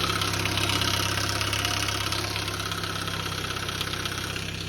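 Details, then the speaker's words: Saab 900 Turbo restarted after an oil change: steady idle with a fast, fairly even diesel-like clatter of about three ticks a second, no oil leak or blue smoke; source of the clatter not identified. "noch aber anscheinend habe ich jetzt zwei Diesel so wie das Ding am klackern ist"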